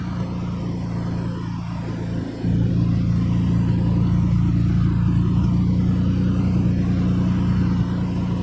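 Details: Nissan 300ZX started on a battery borrowed from another car: the engine catches after about two seconds and settles to a steady, even idle with no misses or knocks. A normal start and idle, though it has a small water leak into the oil.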